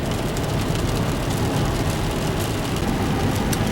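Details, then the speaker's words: 2006 GMC Envoy test drive at speed after replacing both wheel hubs, the old passenger hub having ground with flat spots: even road rumble with no grinding or rhythmic drone; the hub bearing noise is gone. "and the noise is gone did not hear it anymore makes me feel much better"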